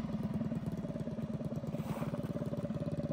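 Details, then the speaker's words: Predator 212cc single-cylinder minibike engine with stage 5 head, 310 cam and billet parts, just started for the first time with choke on, in freezing weather, not yet broken in: quick steady idle thumps with no misses or knocks; clean, healthy idle. "It's alive. It even idles. See how it does in the snow. It sounds so good. Oh my goodness, this thing sounds insane."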